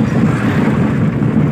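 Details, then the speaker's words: Maruti Eeco van on a very rough road; heavy low rumble with dense, uneven thumps and rattles from the front; steering pulls to one side; front suspension badly worn and knocking. "आगे से suspension भयंकर तरीके से बोल रहा है इसका यानी पूरा खत्म बहुत ही भयंकर खराब रोड पे ले आया है और गाड़ी इतनी आवाज़ कर रही है की मानो चलाने मुश्किल हो गया"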